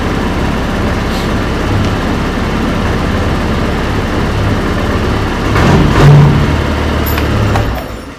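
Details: SYM Symphony 125 scooter running after battery replacement: steady, even low putter, no knocks or misses; charging reaches about 14 V, scooter runs fine and charges properly.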